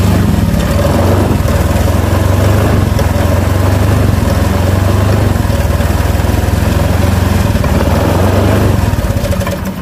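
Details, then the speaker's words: Honda Vario Techno 125 (bulb-headlight model) scooter from cold: low, uneven idle with stumbles that fades as it stalls, won't take throttle and struggles on hills; owner says it's normal when warm, and fuel pressure tests good. "Ini katanya khusus dingin aja seperti ini. Kalau dingin dia mati-matian, hidupnya mati-matian, terus mau nanjak ke atas tanjakan itu mendorong."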